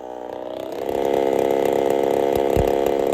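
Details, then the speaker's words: Holzfforma 372 chainsaw, big bore kit, wild porting, first test with ignition timing advanced: climbs to high buzzing rev but stays uneven with irregular pops and stumbles, won't rev out fully; owner suspects timing too far advanced. "all right so I wasn't happy there uh she had this little popping thing going on she doesn't want to rev out really well so I'm suspicious that the timing was actually too far Advanced"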